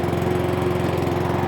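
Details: Cobra lawnmower, just after carburettor repair (carb now holding fuel, bone dry underneath after half an hour), started first pull after four primer pumps: even, quick pulsing putter with steady beat, no misses or surging; self-propel works, runs smoothly.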